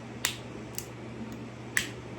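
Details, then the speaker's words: Butane pencil torch used for soldering motorcycle wiring: three sharp dry clicks about half a second apart with no flame roar after, igniter sparking but torch out of gas. "All right, let's fire it up. Maybe out of gas."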